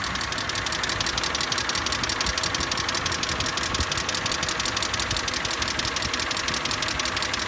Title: E46 clicking noise